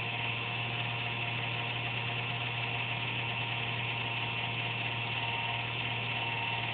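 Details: Computer under a desk makes an intermittent buzz randomly, once or twice a day, with speed and performance unaffected; steady rough buzz with a thin high whine over a low hum; owner suspects a fan, unsure.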